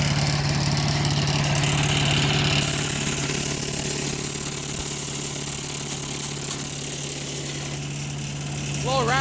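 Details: Craftsman 4 HP wood chipper/shredder single-cylinder engine with a new replacement (Chinese) carburetor, started easily and warming up: steady, even idle with a constant low drone, no misses or knocks; normal idle.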